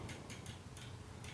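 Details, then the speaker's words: Bicycle cranks rocked by hand, both cranks moving: soft, irregular ticking clicks, a few per second; the bottom bracket was never tightened and is loose in the frame. "Oh, it's the whole bottom bracket. So whoever installed this bottom bracket did not tighten it down."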